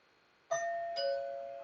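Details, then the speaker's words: Doorbell chime box with no power at the doorbell, retested after checking voltage at the red and white wires: a clean two-note ding-dong rings in a quiet room, so power is coming through and the chime works. "can hear it. Works perfect. So the power is coming through."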